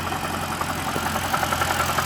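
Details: 2006 BMW E90 325i with N52 engine at idle: fast, light metallic ticking that sounds like lifter tick. It started suddenly, and an oil change and lifter bleeding did not help. The cause turned out to be a loose A/C compressor bearing.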